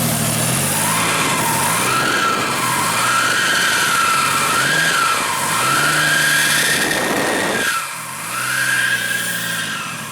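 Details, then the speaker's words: 1JZ VVTi turbo engine swapped into a Nissan S13, with a clear whistle rising and falling with each throttle blip; the turbo spool is audible because the intercooler pipe is disconnected. "You can hear the turbo spooling because the intercooler pipe's off."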